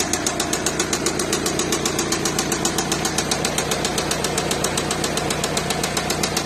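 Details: VW Passat B7 2.0 TDI CKRA diesel idling with a loud, sharp, rapid ticking knock over the engine rumble; cause unknown.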